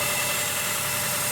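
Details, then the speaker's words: 2006 Honda Element at idle, noise when idling or turning the wheel: loud, steady droning buzz with a fixed hum; power steering pump drawing air past worn o-rings, noise remained after a new pump and was fixed by replacing the o-rings. "well there's o-rings here and here and those o-rings let in air if you look inside here but that loud noise is all taken away"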